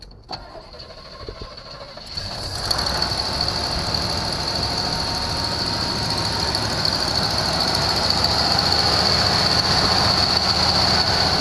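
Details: 1974 Chevrolet Nova, first start after a new electronic-ignition distributor replaced a bad cap, timing not yet checked: cranks a couple of seconds, catches, rough idle that slowly smooths out as it warms, no knock; earlier misfire, cause unconfirmed.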